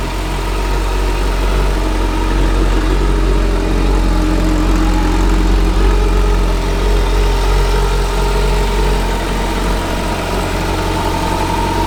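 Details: 2009 Kawasaki Concours 14 motorcycle with 11,000 miles, started up: smooth, even low idle with a steady beat and no knocks or rattles, a quiet motor; normal idle.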